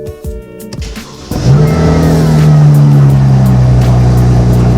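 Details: Car after reassembly and repair, jump-started because the battery died from sitting, in neutral: a few quick clicks, then it catches and settles into a steady, even idle. It starts and runs fine.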